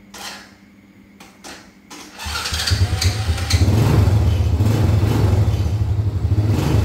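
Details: Honda Dream motorbike whose starter clattered and slipped without engaging. After the repair, a short starter whirr, then the engine fires cleanly and settles into a steady, even idle with no clacking.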